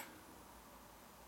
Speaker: the clicking noise you hear of course that's the sound of the relay clicking the lights off and on